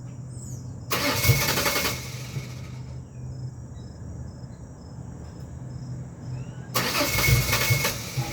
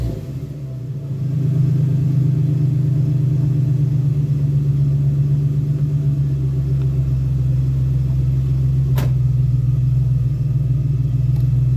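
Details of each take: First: 2001 Ford Ranger XLT 4.0 V6 on a morning cold start: two long bursts of starter cranking over a low drone and it never catches. Fuel, ignition parts, regulator and crank/cam sensors are new; fuel pressure and compression were checked; cause unknown. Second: 2001 Ford Ranger XLT 4.0 V6 that is hard to start only in the morning: it catches and settles within seconds into a steady, even low idle with no misses or knocks. It runs normally once started.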